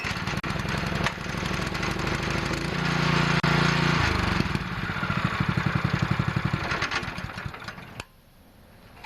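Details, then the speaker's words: Pressure washer engine with its Comet LWD-K 3020 pump removed: the small single-cylinder pulls over, starts and settles into a steady, even beat with no misses or knocks, so the motor runs well and the fault is in the pump. "well that's awesome that motor runs really really good"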